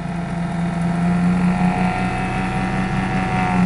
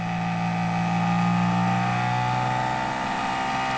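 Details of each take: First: Flux gate generator motor on PWM from car battery, about 10 amps, generator output shorted; steady electric hum wavering and sagging slightly in pitch as the short drags the motor down, wires getting warm. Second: Flux gate generator rotor driven by DC motor via PWM from nearly dead battery around 10 volts, generator parts underneath removed; steady whirring hum at constant speed, spinning far better with no rubbing or drag; normal running.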